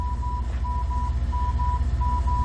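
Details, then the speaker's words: AALogic cable fault locator, transmitter and receiver at 987 Hz, hand coil on aerial cable: steady lower-pitch tone pulsing about twice a second over low rumble; normal baseline locating signal showing about 42%. "you can see that we have a nice baseline tone to check with this is showing about 42%"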